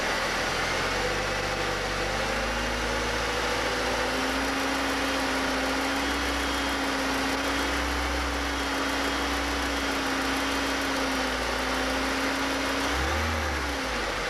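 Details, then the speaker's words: 2000 Chevy Cavalier 2.2L, over 143,000 miles: faint light ticking over steady drone at about 2000 rpm, never at idle, seemingly from lower engine; cause unclear. "now this noise occurs at about 2,000 rpm whatever you're driving whenever you get the car first up to 2,000 it starts making a ticking noise"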